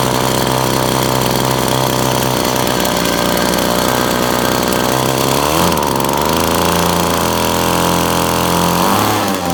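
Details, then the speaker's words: Test-rig generator driven by a whipper-snipper two-stroke turning a 12 V air compressor motor (16 V output): loud buzzing that sags in pitch midway and stays rough, engine labouring under load; owner thinks pulley needs better alignment. "you can hear a bit of strain on the motor I think I just have to line this up a bit better that's doable"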